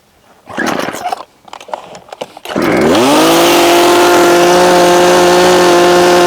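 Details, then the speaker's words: Small two-stroke chainsaw before carburetor adjustment using the splined low/high adjusters. A pull or two, then it catches into an even buzzing idle sitting a little low; owner wants low idle slightly higher. Finding: low idle speed. "I want my low idle to be just a bit higher. That's pretty much what we're aiming for here."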